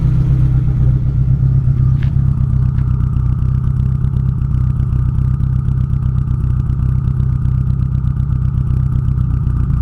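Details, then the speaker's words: Nissan SR20DET with 272 cams and Nismo motor mounts, first run on all four cylinders after a dead-cylinder misfire fix, at idle: deep even exhaust beat with steady firing and no missing pulse; normal running, engine still moving slightly. "so there she is earning like a kitten those 272 Brian crowler's still have the engine moving around a little bit"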